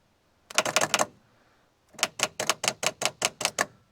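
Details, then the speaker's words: Holden VP Commodore 5L V8 wagon with the V8 starter motor on bench test; two bursts of rapid sharp clacking about seven a second with no crank following: starter pinion throwing out instead of engaging. "so that's where it was throwing out now let's try that V6 one see what happens this time"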